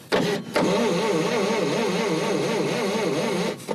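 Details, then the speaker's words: Roughly 70-year-old Chevy not run in 44 years, carb removed, 8-volt battery, starter jumped directly: strong even starter whir with regular wavering rhythm turns the engine briskly; cranks well but hasn't fired yet. "Yeah, starter's engaging hotter than Gar Brooks Live."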